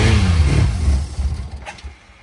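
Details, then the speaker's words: Honda CBX stored at least 5 years, first start after charging battery and adding starter fluid: deep rough rumble for about a second, then sputters and fades out, barely firing. "now that felt awesome to hear this bike run for the very very first time"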